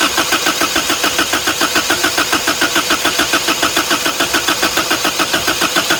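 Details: 1983 Toyota 22R, sat 20+ years, running off a boat tank: fast even cranking, about 140 beats a minute, with sputtering catches that never pick up; fuel or a stuck choke suspected.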